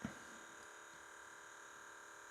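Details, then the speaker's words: Pioneer CT-520 cassette deck, powered up with blue fluorescent display lit: faint steady motor hum and thin high whir, reels not turning; motor always spins on this deck, nothing driven. "are not turning, but you can hear the motor spinning. Because on these, the motor is always turning."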